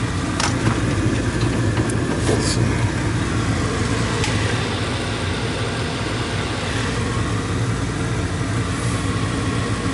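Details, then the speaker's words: Old gas furnace blower that had been noisy and buzzing with a burning smell, heard after the blower motor was oiled, cleaned and blown out with compressed air: an even low rumble and smooth airy rush with no squeal, scrape or knock, turning freely. "Removed an oil blower motor, cleaned and blew out with compressed air. So we'll give that some time and see what happens."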